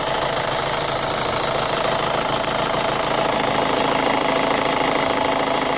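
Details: 2005 Chevy Cobalt LS 2.2L with a P0304 cylinder 4 misfire code, idling: a fast, light, even tick of about four a second over a hissy background; new since purchase, and the owner suspects a lifter, unconfirmed.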